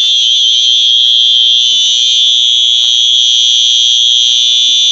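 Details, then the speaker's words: Simplex fire alarm horn powered by a 6-volt battery instead of 9-volt: steady, continuous shrill buzzing tone, somewhat subdued; horn works but is quieter on the low supply voltage. "The alarm is actually not that loud on a 6-volt. I mean, it's loud, but it's not too bad."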